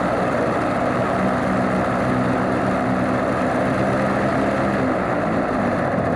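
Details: Alvis Leonides Mk 25 radial engine in a Percival P.56 Provost trainer aircraft, run up after start: settles into a steady, even low idle with a smooth rumble, no misses or surging; normal idle.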